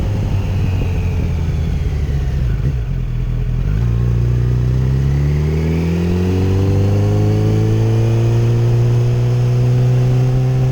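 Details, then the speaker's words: 2008 Yamaha FZ1 after ignition coil replacement: engine pulls smoothly and evenly through the revs, with no stutter or hesitation; it had previously misfired and hesitated under 4000 rpm. "swapped out the coil now she rides like a dream"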